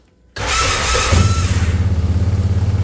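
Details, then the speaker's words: 2013 Arctic Cat Wildcat 1000 side-by-side after repairs including welded starter: cranks and catches at once, then fast pulsing idle about three beats a second; high idle, owner suspects air in the fuel system, later went away. "it run so good now it never idled up like this ever again so I'm pretty sure there was just some air in the fuel system so but otherwise I don't really know it was up with the high idle but it ended up going away"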